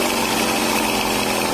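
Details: Kawasaki Blitz motorcycle after repair of a harsh engine sound and white smoke: fast, even buzzing idle with no knock or rattle, just a faint hiss from the air filter. Normal idle.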